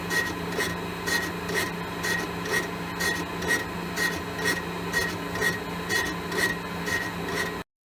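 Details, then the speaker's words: Mill, test pass boring a 6.5-inch cast iron hole, handheld recording: cut scrapes in regular bursts about once a second, silent between; tool touches only the high spots of an oval bore, wider section untouched. "You can hear the ovality. It's cutting in there and up there and a little bit here, so that wider section's not got touched yet."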